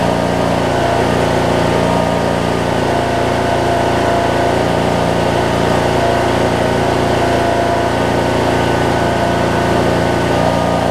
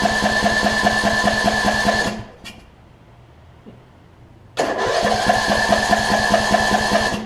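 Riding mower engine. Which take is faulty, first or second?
second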